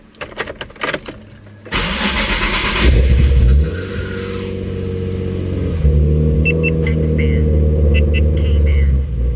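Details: Nissan 350Z start after valve cover gasket replacement, with a hose taped up: it cranks, catches, revs unevenly and settles into a shaky, lumpy idle. A leak and a bad smell followed; rough start, cause unclear.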